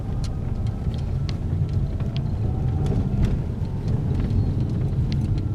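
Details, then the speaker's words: Peugeot 3008 THP on a test drive after the suspension repair: steady low road rumble with no clunks or knocks. The earlier suspension noise is gone. "encontrei galera local livre de barulhos é a batucada que tinha suspensão e sumiu a nossa rua de teste aqui ó já é vê lo e que não têm mais nenhum tipo de barulho"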